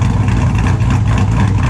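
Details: 2002 Chevrolet Silverado with an LS V8 and a cable throttle body, idling after a cold start: extremely loud, deep, lumpy cammed idle holding a steady beat with no misses; owner says the motor runs and sounds good; normal idle.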